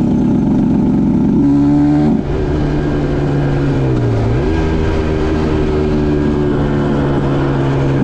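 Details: 2010 Aprilia RS 125 two-stroke with a VHSB34LD carb at the old settings (162 main, K57 top clip, B36 pilot, 2.5 turns air screw): revs climb, break up and dip around 6,000–7,000 RPM, then pick up again. This is a suspected rich midrange stutter, with a K21 needle planned as the fix.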